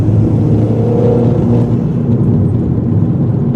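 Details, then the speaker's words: Corsa VXR after a coil pack replacement for a misfire on boost: smooth, even rising drone accelerating hard in third, the problem gear, with no stutter or cough; misfire gone, normal acceleration. "Seems alright so far. Sorted, no problem. The misfire has now gone."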